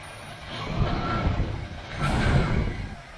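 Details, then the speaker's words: 1977 Chevy Malibu Classic V8, abandoned car's first start: deep rumbling idle that swells a little and settles, no knocks or rattles, running fine. "started right up [Applause] oh it sounds good"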